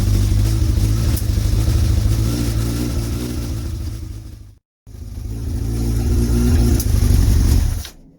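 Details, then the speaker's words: Motorcycle (Bandit sticker fitted), now running after a struggling start. Deep, fairly even engine run with throttle blips, briefly cutting out and picking back up; it starts and sounds okay: normal running. "That's great, guys. That is great. Now I know that she starts up."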